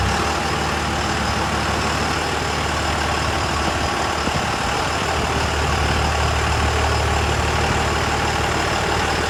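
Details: 2001 Cummins dually (~240k miles), rebuilt on a 56 block replacing cracked 53 block, fresh rings/bearings, 50hp VCO injectors; after rebuild: steady even diesel clatter with deep constant rumble, no knocks or misses; running great.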